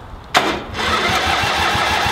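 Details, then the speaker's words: Lawnmower/tractor engine whose seized starter was freed with penetrating oil, bench-tested and reinstalled: a sharp engagement, then an even chugging crank at about five compression pulses a second. It starts once fuel is added. Normal starter cranking. "alright so we know the start is working so let's give you something gumbo juice see what happens here"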